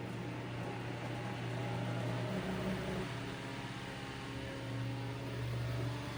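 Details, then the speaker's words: Eskimo 1005/1005R desk fan (McGraw-Edison, 55 W, 105-120 V AC), after repair: Smooth even motor hum with steady drone and airy rush, no rattle or scrape; normal running. "Well, looks like we got running again."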